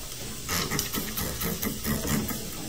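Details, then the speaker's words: A refrigerant recovery machine that won't pull a vacuum below 20 runs with a soft, steady hiss behind its motor hum. The hiss is air leaking past the pump shaft seal. "so sometimes when the leak is happening you can just hear it hissing in the background"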